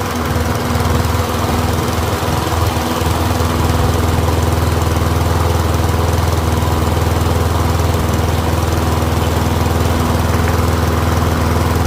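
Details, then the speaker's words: Troy-Bilt rear-wheel-drive mower with Briggs & Stratton engine, after ultrasonic carb cleaning, warmed up about five minutes, no smoke now, fuel running low: steady, even single-cylinder beat with deep regular thump, no misses or surging; pretty quiet, running healthy. "It is a pretty quiet mower."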